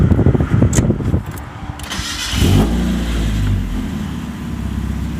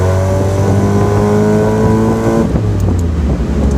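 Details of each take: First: Mazda Miata first start after installing a long-tube header and test pipe (cat deleted), exhaust routed to the muffler: loud raspy exhaust with a sharp ticking puff following revs; leak at a bolt that needs tightening. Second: Mazda Miata with cheap full race exhaust and new header, top down, accelerating: smooth raspy exhaust note rising evenly then dropping at a shift, no whistle or ticking; normal exhaust sound.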